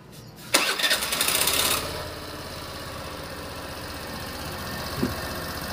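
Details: Suzuki Burgman scooter after ISC valve diagnosis (valve had been locking from dirt): cranks and catches quickly, brief rev, then even steady idle with no stumbling or hunting; normal start and idle.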